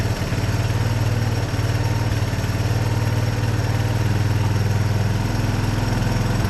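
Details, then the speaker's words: 1982 Honda ATC 200 Big Red three-wheeler, first start after storage and repair, idling: steady single-cylinder thump, even and unlabored; runs nice and quiet. "But so far it runs nice and quiet, doesn't. That's pretty good, actually."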